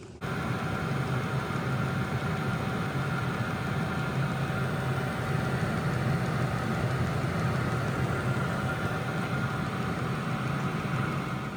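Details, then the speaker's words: Diesel heater preheating an RV6A airplane under the cowling in winter, starting to light with clicking: steady even low hum with constant blower tone, no sputtering; lit and running normally. "And here, if you listen over here, you can hear it starting to light. Hear that? Click, click. Yeah. So it's starting to light. It'll blow hotter and hotter heat."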